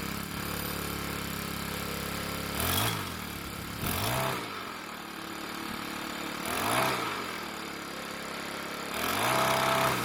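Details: Troy-Bilt 4-cycle edger after repair beyond a broken purge bulb, wheels and cables lubricated: engine picks up cleanly on four throttle blips, then settles to a steady idle; runs well.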